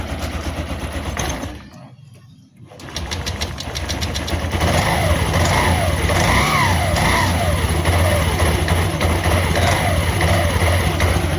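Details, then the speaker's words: Honda CVT scooter after replacing rollers and sliding pieces and shimming: starts and takes light throttle blips smoothly with an even rising and falling hum; the earlier clattering from the roller housing is reduced, normal CVT operation. "sekarang udah diganti roller sama slidingnya udah diganjel sekarang alhamdulillah Agak mendingan suara panel ya."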